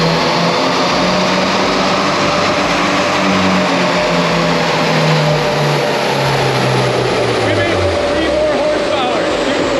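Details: 2022 Subaru WRX turbo with JB4 tune on 93 octane, full-throttle dyno pull: engine climbs strongly with a steady turbo whoosh and no misses, boost holding, healthy; holding some timing, slightly lean.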